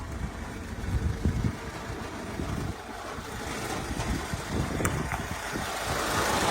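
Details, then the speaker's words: Customer car idling with low, uneven rattle and loose irregular knocks under the engine note. Suspected exhaust rattle or leak, possibly a transmission rattle, not confirmed: rattle at idle. "a customer sent in this video asking for help to diagnose this noise my bet is that it's either an exhaust Ratt or leak possibly a Ratt from the trans"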